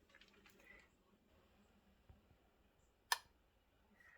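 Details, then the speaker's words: Low-voltage (24 V AC) baseboard-heat thermostat in a near-silent room: one sharp, crisp click as the contacts close or open the heat call, which signals the relay at the breaker panel; normal switching. "That's the switch either calling for or stopping the call for heat, and that's making a connection across that 24 volts, which then goes back to the relay at the breaker panel, and that's what is going to turn on the high power."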